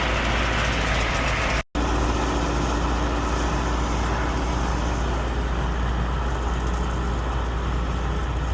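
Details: Allis Chalmers 6080 tractor diesel on its first work after an overhaul, running a mower deck. A smooth, even drone with a steady low throb and no knocks or misses shows it pulling cleanly: normal diesel running under load.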